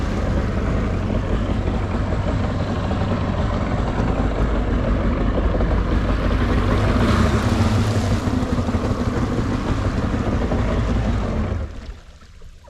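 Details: Jet ski bought for $500, restored and used a week without a hiccup; started after untying from anchor on lake: steady, even idle over water slap and wind, no misses or knocks until it cuts off; healthy engine warming up.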